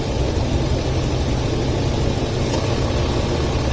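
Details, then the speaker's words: 2004 Ford F-250 5.4L at idle, code P0306 cylinder 6 misfire after customer fitted new plug and coil; deep rough idle with uneven stumbling rumble; spark tester showed very weak coil, replacing it cured the misfire. "I'm wondering if this coil ain't strong enough to fire the plug. And it's just backfeeding."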